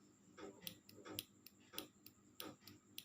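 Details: Carburetor fuel-cut solenoid bench-tested on a battery, leads tapped to positive and negative poles: sharp, crisp clicks roughly every two-thirds of a second with sparks at the negative end, showing the solenoid still works properly.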